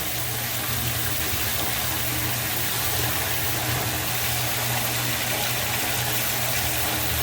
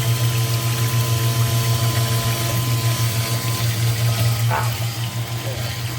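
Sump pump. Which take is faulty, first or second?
second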